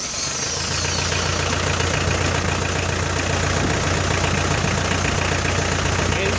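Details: 4D56 diesel with a hard-start problem, after bleeding air from the fuel system with the manual pump: settles into an even, steady idle clatter with no stumbling or misfire.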